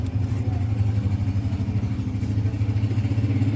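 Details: 2007 Toyota Vitz CVT with starting trouble, before repair: low, lumpy engine note with uneven pulses and dips in rhythm, stumbling rather than running smoothly; engine misfiring.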